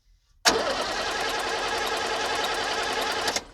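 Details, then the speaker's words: 1978 International Scout II with Nissan SD33 diesel, sitting over 20 years, fuel system just bled: about three seconds of fast rhythmic cranking that fires but doesn't catch. The engine is very sensitive to glow plugs and needs more glow. "obviously this thing is very sensitive to glow plugs just like the 62 diesel on my chevy no glow plugs that thing will not start"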